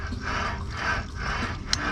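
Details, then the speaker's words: 2002 Chevy Silverado 1500 4.8L V8 wheel bearing/hub assembly, hub turned by hand: gritty dry rasp swelling and fading with each turn, loud and grindy; bearing worn out, needs replacement. "It's loud and grindy. That tells me she's done."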